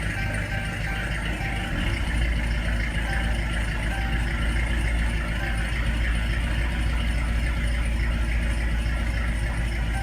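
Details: 2014 Dodge Charger petrol engine idling low and slightly uneven, EVIC flashing before stalling; throttle position sensor saw too low a voltage due to added wiring resistance and raised throttle sensitivity, fixed by restoring stock sensitivity.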